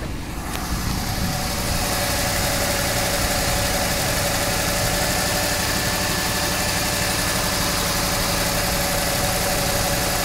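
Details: Jeep Grand Cherokee no-crank/no-start case, suspected key/immobilizer module and loose contact: steady, even idle with smooth low rumble, no knocks or misses; engine runs normally.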